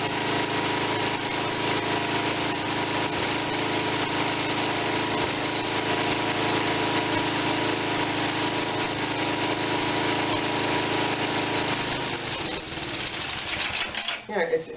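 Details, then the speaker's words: Tecumseh 5.5 hp small engine with a stuck valve and compression problems, on added choke: runs rough and unsteady, then falters near the end; owner wonders if it is running out of fuel or needs more; uneven running. "maybe it's running out of fuel no it might need a lot more fuel"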